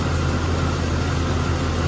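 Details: 1999 Jeep XJ 4.0 six-cylinder, fresh oil plus engine restore additive, cold start: steady low idle with even rumble, no knocking; the usual loud knock after ~30 seconds (suspected lifter, piston slap or exhaust manifold; flex plate bolts checked tight) is absent.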